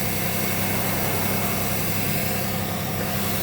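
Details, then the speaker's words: 2001 Pontiac Grand Am with cylinder 3 misfire, coolant smell and white exhaust smoke, running after IronTite sealer added: uneven lumpy stumbling idle with irregular shake; head gasket leak. "And as you guys can see, there's the white smoke. I know the leak's not that bad because it takes a little bit to lose about a bottle and a half worth of coolant."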